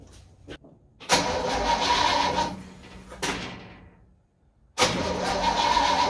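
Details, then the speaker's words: Old supercharged truck engine after carburetor work, with the choke held open: the starter cranks in short bursts but it never starts. Flooding is suspected; the float was later found set too high, with fuel spraying from the vent. "It may be flooded, I ain't real sure. I'm gonna hold the choke open just in case it is."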